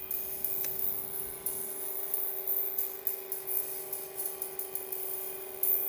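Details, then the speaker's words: Sundown Audio SFB-1800.5D five-channel car amplifier on test bench; quiet steady tone-like electrical buzz audible from the amp itself; tester thinks it comes from the transformer rather than the choke. "you know it's sad but true we can hear it is it coming through the transformers or is it the choke i think it's a transformer"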